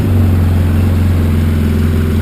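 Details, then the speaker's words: Polaris Sportsman 700 EFI at idle after a new Carter fuel pump was fitted: steady, even low idle with a smooth unbroken hum and no stumbles or surging; it runs far better than before, no longer gulping or starving. "but it's running fabulously compared to what I was running like before"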